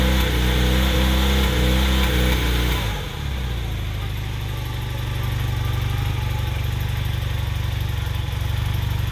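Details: 1981 Honda CM400T twin after a top-end rebuild: idles then revs with a stumbling, uneven exhaust beat and occasional skipped pulses; slight misfire, cause unknown.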